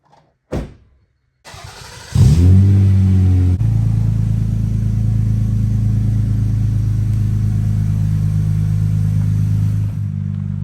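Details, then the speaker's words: 2000 Toyota Avalon, 3.0 V6, automatic, 223,000 miles, after ignition barrel and restricted filter replaced, on a test drive: engine pulls up smoothly into a steady, even drone, no misses or surges; runs normally. "Okay, the car is equipped with a 3.0 V6 and automatic trans, and it works very well."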